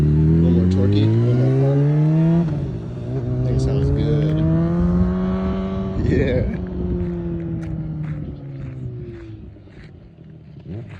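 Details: 2008 Honda CBR600RR, 39,000 miles, with a Yoshimura rear exhaust section, after sitting two-plus years; fluids changed, cleaned and given a new chain and sprocket. Crisp, even revs climb and settle smoothly; starts right up and runs great.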